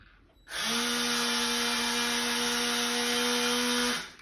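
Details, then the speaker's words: Nearly new SCX slot car (Audi TT R, McLaren MP4-12C or Ferrari F430 set): steady high-pitched motor whine for about three seconds, seems powerful but car barely moves. "Now this seems like it's got loads of power in it, but it doesn't move, it doesn't go any, well it moves, but it doesn't go anywhere."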